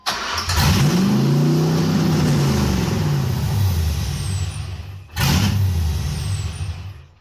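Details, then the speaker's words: 1989 Chevy S10 Blazer LS swap after moving back to the LS1 intake: engine catches and flares, then the idle hunts up and down without settling; rough idle, owner suspects it needs a mass airflow sensor. "I think it needs a mass airf flow sensor that's why it's not idling correctly here we"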